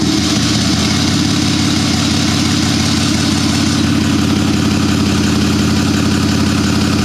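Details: Turbocharged buggy started from ice cold after setting the maximum fuel-level lag factor: loud steady idle with an even low drone, holding without dipping or stumbling; normal cold idle.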